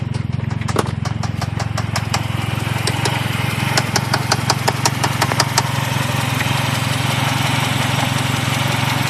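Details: 1G Eagle Talon AWD at idle: sharp, uneven clicks about three per second. Owner is unsure whether it is rod knock, a dead lifter, a binding valve spring or a failed transmission. Engine knock, cause unconfirmed.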